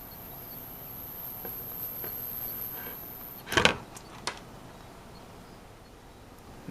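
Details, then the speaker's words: Netgear WGR614 v6 router with poor wireless speed: thin, very high steady whine over hiss, then handling knocks; traced to bad power filtering capacitors showing 400 mV ripple. "there's where the high-frequency noise is I can't seem to catch it real good"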